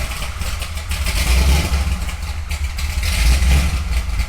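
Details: Corvette Z06 bought sight unseen, with a big cam, valved exhaust and a check engine light on: deep, choppy V8 idle with an uneven loping beat; lumpy idle, suspected from the big cam not being tuned quite right.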